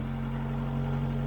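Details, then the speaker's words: 1996 Suzuki/Geo Tracker after fuel pressure regulator replacement, cylinder one misfire addressed: smooth, even idle with steady low hum and no misses; slight hesitation on first throttle tap; running well. "but it seems to be uh actually seems to be running really well yeah it sounds good"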